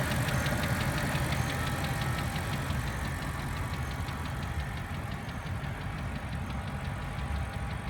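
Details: BMW N62 4.4 V8 at steady idle with a fast, fairly even tick-knock over the low rumble; engine knock present, cause not stated.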